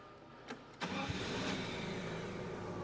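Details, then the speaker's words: Hyster S50XM 5,000 lb propane (LP) forklift, older unit serviced by technicians: short crank, engine catches quickly and settles into an even quiet idle without stumbling or misfire; starts with no problem. "for something that's older, starts up no problem."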